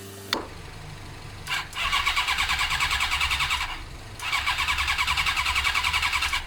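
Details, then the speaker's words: Suzuki motorcycle with clutch lever strapped and spray fed into the carbs: steady starter churn, two long cranking bursts, never fires; owner suspects no spark, later fixed by an original ignition unit with resistor. "I'm pretty dead set at this stage Tyson sparking because we're spraying stuff in the carbs straight into the engine and it's not doing anything"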